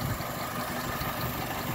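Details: 2001 Mitsubishi Mirage 4G15, sat unused for years, rough lumpy idle with shaky irregular rumble, no power, possibly running rich; evap solenoid clicking; fuel pump, regulator, plugs, wires, crank sensor, distributor, PCV replaced, EGR and hoses cleaned, cause unknown.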